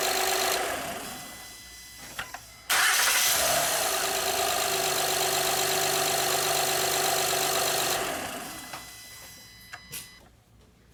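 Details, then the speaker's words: 2011 Honda Pilot 3.5L after timing belt and water pump replacement, before upper timing covers are refitted; quick start then smooth, even idle with no slapping or ticking, timing correct, engine healthy. "right guys as you guys heard the engine sounds good we're good to go"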